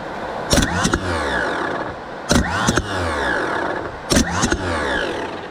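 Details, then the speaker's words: Starter from a 1984 Nissan Diesel CKA50BT truck (RD8 V8 diesel), bench-tested on 24 V after its seized brushes were cleaned. Three whirring spin-ups, each with a sharp pinion clack; it engages cleanly. Normal starter motor engagement. "so here I have 24 volts ried up a bit sketchy and we're going to test it let see let see it is um engaging"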